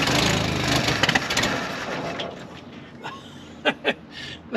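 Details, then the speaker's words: 1969 Jeepster Commando during tune-up: rough, ragged cranking for about two seconds fading into scattered clicks without catching; hard start, it fires then runs out of fuel, owner suspects a bad vacuum leak, carburetor in question. "she fires up soon as she fires she runs out of fuel so sure what's going on there go ahead again buddy"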